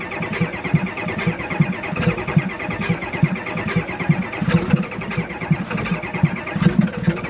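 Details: 1989 Ford F-350 dually 7.3 IDI diesel, replacement engine at 157k miles, sat five-plus years, fuel system leak and failing glow plugs; steady rhythmic cranking without firing on first start attempt, long hard start.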